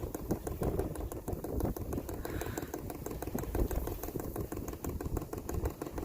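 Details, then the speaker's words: 12V 5kW diesel heater fuel pump priming outdoors in wind, fuel with air bubbles coming through, pump stops by itself when done; quick even clicks about five a second, normal priming. "Okay, it should be almost done. I wonder if it stops by itself. There we go, it does stop by itself."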